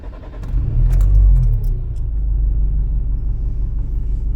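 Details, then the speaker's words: Nissan X-Trail diesel after engine overhaul and pump/injector bench test, cheap timing kit fitted: revs then settles into a lumpy uneven beat of about four pulses a second; disconnecting cylinder three changes nothing, so cylinder three isn't firing. "ще раз відмикаємо третій і нічого тобто у нас не працює третій циліндр"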